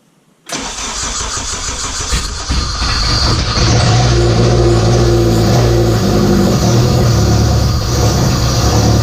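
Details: K24A2 engine in an Acura Integra, first start after an injector issue, radiator off and open downpipe; cranks and catches at once, then a loud, even deep idle with no knocks or misses; normal start and idle.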